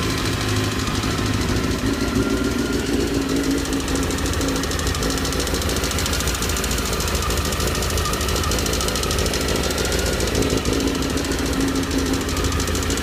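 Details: Honda CBR 919 RR: steady idle with a fast, hard ticking knock riding over it the whole time, unchanging; knock from inside the engine.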